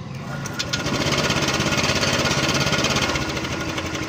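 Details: Honda Click 125 scooter, speedometer broken, idling with a fast, dry metallic rattle, continuous; another mechanic blamed a bearing, but the cause is a slapping timing chain and worn cam chain tensioner.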